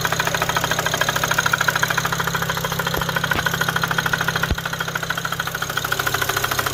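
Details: Car after cleaning the intake valves, plenum and throttle body, fitting a used high-pressure fuel pump, a front-mount intercooler and new fuel pump sensors: a sharp, regular knock of about 200 a minute over a steady idle, from the driver-side front; cause undetermined.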